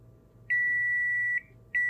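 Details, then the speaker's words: iPhone X (10) with no power, multimeter in continuity mode: steady high-pitched beep, held then repeated, showing the data line dead shorted to ground on the board. "and this side supposed to be the data line and it's not it's straight short to ground"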